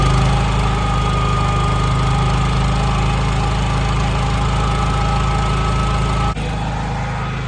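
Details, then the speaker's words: NPS 5500 inverter generator outside RV running one 15,000 BTU air conditioner at about 40% throttle: steady even drone with faint constant high tone, no knocks or misses; normal running under load. "You can hear it. You know, that's one air conditioner running. It's ramped up probably about 40% throttle. So it's definitely a difference."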